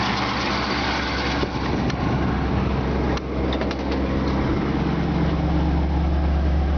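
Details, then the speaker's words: 1964 Ford Galaxie 500 V8 with 45,250 original miles, just given a full tune-up, idling with the A/C compressor on: steady, even purr with no misses, ticks or exhaust leaks. Engine is healthy, though the idle is slightly high. "you can hear the engine just first like a kitten no exhaust leaks it does sound like the idol is just a touch highway"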